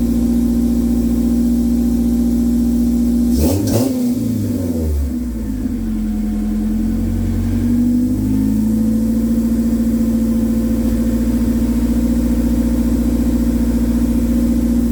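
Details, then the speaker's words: K24-swapped AE86, previously hard to start and sputtering and dying on throttle: one quick throttle blip, then a steady, even idle with no stumble or misfire. Running cleanly. "foreign sounds good thank you"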